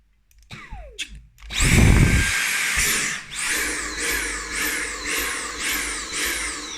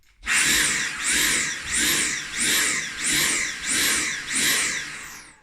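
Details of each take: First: Dyson V8 Animal cordless vacuum: click of the sensitive trigger micro switch, then a high motor whine spinning up and settling into a steady rhythmic surge; the motor runs normally. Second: Dyson V8 Animal cordless vacuum with the intake tube blocked: high motor whine surges and dips about every 0.7 s, then the motor cuts out despite the trigger being held; overload protection on a blocked intake.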